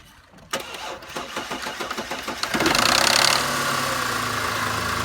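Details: Audi A6 C6 3.2 Quattro (AUK engine) start: starter cranks about four beats a second, then the engine fires with a brief metallic rattle before idling; timing chain rattle suspected, not confirmed.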